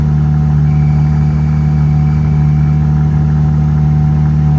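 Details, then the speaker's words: Jeep Gladiator manual idling with thin steady squeal above exhaust note; squeal persisted after throwout bearing replacement, and after transmission was taken apart first gear became hard to engage. Owner suspects transmission fault, unconfirmed. "So something was messed up in the transmission. So anyways, but I'll put those videos in now of the squealing so you guys can hear that."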